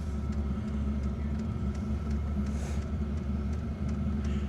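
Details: Diesel heater newly installed in a house, running just after ignition with smoke at the exhaust as it had flooded earlier: a steady low droning rumble with faint regular pump ticking, smooth and even; the heater is running normally.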